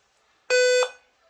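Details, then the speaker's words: Dell notebook at power-on: single loud steady beep about a third of a second, stopping once Windows loads and returning at shutdown; worn-out motherboard CMOS battery needing replacement. "A bateria da placa-mãe, quando ela chega no prazo de validade ou dá algum defeito, é necessário que faça a substituição. E ele avisa através desse bip."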